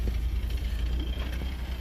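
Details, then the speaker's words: 1980 Fiat X1/9 at idle after a drive, idle picking up a bit: deep steady idle with faint light knocks from spring-mounted metal exhaust hangers vibrating, not an engine knock; thumpy exhaust, lots of compression. Exhaust hanger knock. "it sounds like the engine's got a knock but that's the exhaust exhaust has those weird spring mounted metal hangers and uh just when the engine vibrates it uh makes a little knocking noise"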